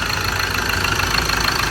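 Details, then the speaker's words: Ford Ranger 2.2 diesel after injector repair and engine sound-insulation pad refitted on top: steady, even common-rail idle with light clatter, no misses or knocks; quieter than the day before, healthy idle. "ตอนนี้เราจ่ายแผ่นซับเสียงก็ไปแล้วครับเห็นเครื่องยนต์เงียบลงนะเมื่อวานดังกว่านี้แล้ว"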